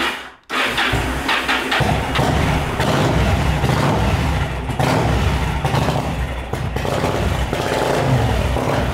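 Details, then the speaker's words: Yamaha V-Star 1100 Classic carbureted V-twin after fuel pump replacement, started with choke: rough, lumpy running with irregular exhaust pops; backfiring, not firing on both cylinders, carburetor flooding the spark plugs. "okay it's backfired and doesn't run off of both cylinders"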